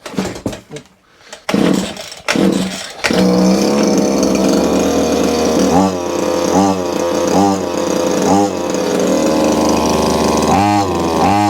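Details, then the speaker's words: Small two-stroke petrol hedge trimmer, pull-started with choke: it drones and bogs under load in repeated dips while the blades stay stuck; the fault is suspected in either the gearbox or the blades. "So the blade's not moving, but what I will say is the machine is actually under load. I can hear it, it is trying to do it, but that tells me we either have a problem in the gearbox here, or we have a problem in the blades."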